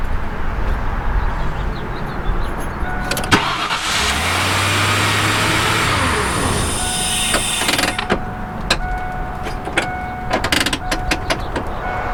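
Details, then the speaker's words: Vehicle with an intermittent no-start, caught during testing: a brief crank, then it fires at once into a smooth idle. Suspected neutral/park safety switch or a transmission linkage problem, since it was in reverse when thought to be in park. "again i think that's a neutral neutral park safety switch since it uh obviously is running now i haven't done anything"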